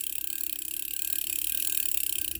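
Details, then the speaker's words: Vintage Korean-made Daiwa 100X reel, about 220 g, with a brass axle and the handle screwed into the axle. Cranking gives fine, quick, evenly spaced gear ticking with no grinding or catches: a normal, smooth retrieve. "I love it. Smooth. Yeah, maybe it's not a Saragossa, of course."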